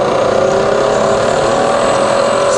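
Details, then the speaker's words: Fully rebuilt Bridgeport milling machine, variable speed head, spindle running in speed test; smooth even whine at steady pitch, shifting near end, no knocks or grinding, healthy head. "we're gonna test now the variable speed head and the quilt so we're currently running 700 RPM here"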